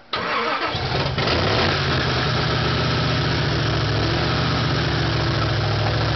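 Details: Chevy Nova V8 with a thumper cam on first start after a rebuild: it cranks and catches into a loud, lumpy, loping idle that won't hold steady. The rockers and carburetor still need adjusting.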